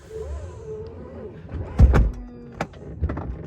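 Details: 2022 Tesla Model X Long Range driver's falcon wing door after second service adjustment: motorized door closes with a sharp clunk and brief squeaky rub; owner notes it now seems to hit the latch, squeaks and rattles persist.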